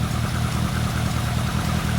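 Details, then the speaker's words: Lotus Elan Sprint big-valve twin-cam, off the road since the early 1990s, barn-find first start, choke backed off to half: even, steady low burble with regular firing pulses and no knocks or misses; healthy idle. "Absolutely covered in dust. swallow poo and swallows eggs, but it's still idling. That's really happy. I'm really pleased."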